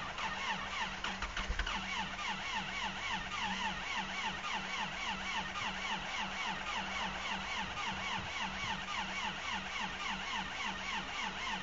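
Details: Cold start at 8 below zero: the starter churns in an even beat of about three and a half pulses a second without catching, a long crank and hard cold start; cause suspected, not confirmed.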